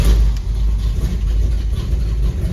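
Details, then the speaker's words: 1979 Chevrolet Suburban, carbureted V8 on a temporary drivetrain: deep, even rumble at a steady idle with no misses, stumbles or hunting, holding 18 inches of vacuum; no vacuum leaks found with spray. Runs fine. "runs pretty good nothing wrong with that I'm holding 18 in of vacuum"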